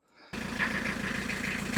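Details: Isuzu Marine IM4LC38 narrowboat diesel after oil, air and fuel filter service and bleeding the fuel: fires straight up into an even, steady diesel chug with no misses; normal idle.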